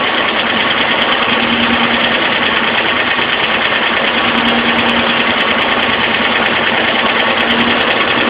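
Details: Alfa Romeo Spider at idle: loud, busy idle with a faint, uneven light top-end tick over the engine hum; owner suspects lifter tick, cause not confirmed.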